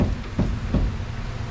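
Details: 1973 VW Super Beetle front end, worst on the right side. Rocking the wheel by hand gives dull low thumps about every 0.4 s. The knock is narrowed to the tie rod or right wheel, and the strut or its lower bushing is suspected.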